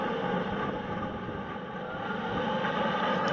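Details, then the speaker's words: Goodman gas furnace flashing 6-flash code: steady inducer fan rush with bubbly, uneven gurgling from water trapped in a clogged vent pipe. Roofers had pushed the vent down into the roof; the fix is to pull the vent back up. "vent is clogged, and we can see it's full of water, so this is probably our problem. And you can hear it gurgling. So if you hear your vent gurgling with water, it's blocked."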